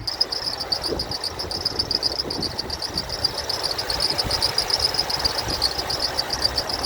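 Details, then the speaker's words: 2006 Toyota Tundra SR5 RWD, 4.7L V8, 5-speed automatic, 233,484 miles, under the hood at idle: high chirping squeak two to three times a second from the serpentine belt; no ticking or misfire. "Everything sounds good besides that squeaky belt down there. Don't hear any kind of uh ticking or doesn't seem like it's missing or anything."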